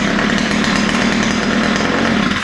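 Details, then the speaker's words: Ryobi two-stroke string trimmer after opening both mixture screws and setting the low-speed needle slightly rich: runs steady and even at fast idle with no stumbling or surging, starts easily, fixed. "but it sounds good now and it starts easy uh especially after it's been running it should start relatively"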